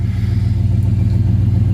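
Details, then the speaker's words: 2007 Cadillac Escalade EXT V8, just started after sitting about 2 years; deep, steady rumble with an even low pulse and no knocks or misses; idling smoothly. "Yeah, it's just sitting here idling as pretty as you please."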